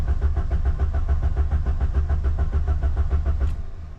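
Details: Ford Sierra RS Cosworth left in a garden for over 17 years, accelerator pedal sinking to the floor, one more attempt: steady rhythmic cranking at about three and a half beats per second for four seconds, no firing.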